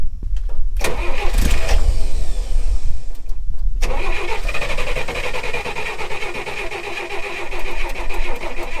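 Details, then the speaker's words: Chevrolet Corvair rally car after a pump replacement, started on an almost-dead battery: engine catches then settles into an uneven, lumpy idle with a cylinder missing; owner suspects loose wires. "Oh, battery almost died. missing. Why is it missing? Something about these wires."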